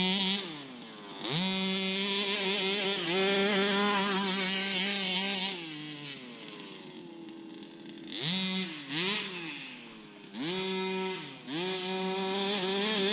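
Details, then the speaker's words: Customer's Baja 5B RC car, small two-stroke engine, test run on open field after reassembly with new pull start: high-pitched revs in bursts, raspy and rough at top end; first blamed on general wear or worn barrel, still pulls well. "But yeah, the engine's got a bit of a raspiness at the top end, but I think that's just because of general wear and tear. It's like the barrel is worn, but it's got plenty power."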